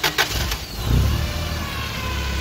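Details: Toyota 8 Series 5,000 lb LPG forklift (ECS engine) with a long-crank hard-start problem, cranked with the injector hose reconnected and the pressure gauge removed: brief cranking, then it catches and settles into a steady, low, even idle with no stumbling. Normal start and idle.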